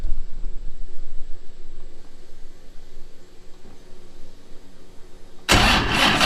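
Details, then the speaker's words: First start of a new Patriot Performance 427ci LS with a solid roller cam and dry sump, running on the lift pump only. Slow, uneven cranking at about four turns a second with no firing at all; fuel smell from the exhaust afterward. Cranks, won't start. "No start, no fire. Not even a little fire. Cranking kind of slow, but look at this."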